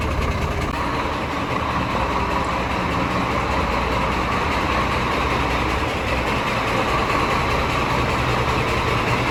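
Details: Scania DC13 truck diesel at idle with a light, fairly regular tapping, two or three a second, traced to cylinder 5 (camshaft or conrod first suspected). Cause: loose, broken rocker arms in the valvetrain.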